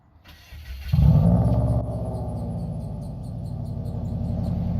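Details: Rebuilt Subaru WRX, first start after fitting the exhaust using spare junkyard hangers, checked for exhaust leaks: engine catches with a sharp rise, then settles into a steady, even burble with no ticking or puffing; no leak.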